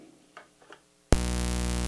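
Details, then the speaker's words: Audio ground-loop demo with a dimmable-lamp noise source: front-of-house console buzz; pin 1 audio ground lift makes it worse, a loud steady mains buzz cutting in suddenly and holding constant. "So, we got this buzz."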